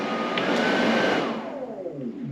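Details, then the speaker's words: Classic VW under-dash AC unit blower switched to high with the switch underneath: a steady airy rush with a faint even hum, easing off slightly at the end; blower running normally on high. "that's some AC yeah so the switch on the bottom works"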